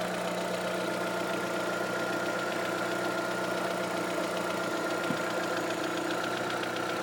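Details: Vauxhall/Opel Astra with light rapid tapping over a steady idle that quickens when accelerating and disappears above 2000 rpm; engine ticking noise, cause unknown.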